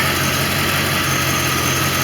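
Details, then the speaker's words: 1989 Corvette roadster V8 after ignition module fix and Bosch III injector install, runs much smoother, idler pulley jumping less; still low on coolant with a suspected air bubble, 190° thermostat: smooth, even idle, low hum, faint constant hiss; normal idle. "it run so much smoother my ey P my ey pulley is not jumping as bad"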